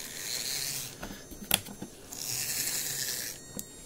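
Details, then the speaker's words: Graham Farish N gauge GNER HST loco (Chinese Poole-type chassis), test run after refitting the carrier around the bogie frame: buzzing motor whirr in bursts with an odd sharp click between. Intermittent clicking from drive, cause unclear. "i don't know if you can hear it let's get that bloody test i can hear a clicking noise"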